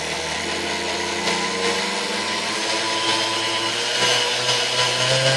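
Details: 1960s Hamilton Beach Model K stand mixer after maintenance and service, heavy built-up grime scraped off, turntable still missing: steady, even motor whirr with bright constant pitch, no knocking or grinding; runs smoothly, a good runner now.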